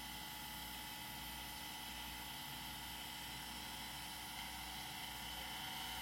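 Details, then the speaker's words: Old IDE hard drive after jumper change, salvage check: faint, steady whir with fine high tones under low hiss; drive spinning normally and later recognized. "That is definitely a new spinny sound so that one is spinning"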